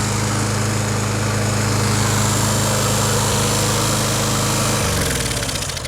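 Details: Lawn Boy push mower after carb clean: engine keeps running at a steady high drone with a thin screech after the handle is released, refusing to shut off until tilted further over, then stumbles and dies; cause not yet found.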